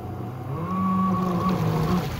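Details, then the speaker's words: Electric kayak with a sensorless three-phase motor on its stock speed controller: a loud, uneven, jerky motor drone over water noise. A spun bearing is suspected, or something in the prop, overheating or electronics; the cause is unconfirmed. "so listen to that hear that it's really loud we're having some issues i think we may have spun a bearing"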